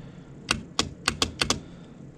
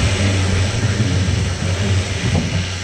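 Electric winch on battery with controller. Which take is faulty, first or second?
first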